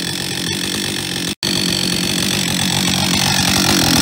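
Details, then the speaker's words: Husqvarna 562 XP chainsaw running with a harsh, loose metallic rattle over the engine buzz; owner suspects a worn piston (piston slap), later confirmed by wear marks and measurement. "heute habe ich hier eine Husqvarna 562 XP die ein bisschen laute Geräusche macht vom Motor her ich vermute ein verschlissener Kolben"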